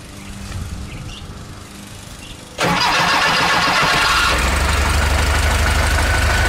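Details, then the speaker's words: VW Type 3 air-cooled flat-four with automatic transaxle after replacing a loose, mistimed 009 distributor with an 034 SVDA, vacuum line not yet connected: catches instantly, settles into an even idle without stumbling or choking; normal start and idle. "see what I mean listen to it it purrs it doesn't choke anymore it doesn't gag on its own"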